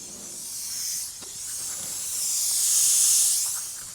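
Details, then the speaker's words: Car air-con with the bumper off, engine not running: a sharp, steady gas hiss that swells and fades as refrigerant escapes; the condenser is the leak, and more than one leak is found. "very visibly hear the leak. Pretty certain that is the condenser that's looking."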